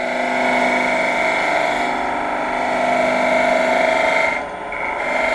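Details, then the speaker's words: Wood lathe with a dull turning tool: dry raspy scraping pulsing with the spinning work, no clean shaving hiss, the tool rubbing and tearing out the wood rather than cutting. "not cutting at all and then just brewed let's look at it there you go good example see all the torn out so having to push dull dull tool with no kind of cut or really bad cut"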